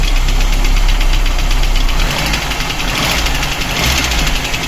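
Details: VAZ 2108 petrol engine idling with a dull, steady knock of about three to four beats a second from low down. Others blamed the camshaft, but teardown found a scored cylinder and oil-wet plug 4: piston slap.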